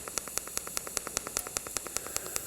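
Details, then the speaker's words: Arccaptain 200A AC/DC TIG welder, pulse TIG at 75 A, set to 5 pulses per second; steady hissing arc surging in sharp even beats, pulse cycling cleanly and letting travel fairly quickly. "I couldn't tell you exactly what that speed is, but it's maybe, I don't know, 4 or 5 pulses a second, something like that."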